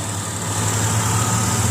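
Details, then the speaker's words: 2003 Ford Windstar V6 with 248,382 miles and a brand-new battery, hood open: steady, even low hum at idle with no misses, knocks or ticks; runs smooth. "it's got the v6 port engine it's got the brand new battery in it seems idle smooth"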